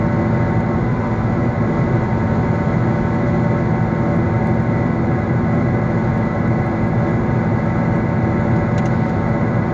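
Loud, rough metallic grinding with a pulsing churn while driving, from a wheel bearing near total failure.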